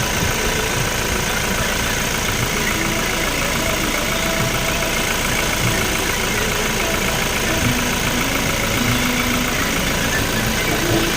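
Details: Toyota Fortuner diesel at steady idle: even clatter with no whirring or helicopter-like drone from the front alternator area, where a worn alternator bearing would be heard; idling normally.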